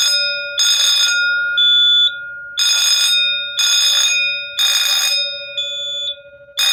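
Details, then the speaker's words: Simplex 4005 fire alarm panel, bought listed as not working and now running, set to code three and tripped by pulling the pull station. The bell rings in three one-second bursts, pauses, then repeats; a working bell sounding code three. "so the system set the code three i'm just gonna go ahead and pull the pull station and uh get this show going"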